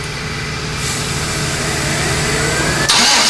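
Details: 92 Chevy Silverado 5-speed with a turbo 5.3 LS swap: rough, uneven idle with a lumpy stumble every few beats; one cylinder dropping out, running rich, injector sizing suspected; rustic knock also mentioned, injectors to be pulled and the oil changed.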